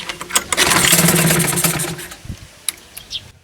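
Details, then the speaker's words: 2020 Hankai 6.0 outboard, two seasons' use, after replacing a broken reed petal that made it sneeze into the carburetor and not rev: on the trial start a short ragged burst of firing catches about two seconds, then dies; signs of life. "Так, признаки жизни есть."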